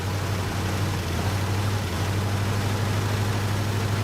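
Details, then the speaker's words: 1967 Buick GS 340 V8 at first start after sitting 15-20 years, new radiator and carburetor: lumpy, stumbling rough idle; owner suspects worn-out spark plugs and wires, ignition system needs redoing. "I'm sure that all these spark plugs are garbage and I'm sure that all the wires are garbage too so I mean the ignition system needs redone and I've got something for that too so yeah see she's not happy"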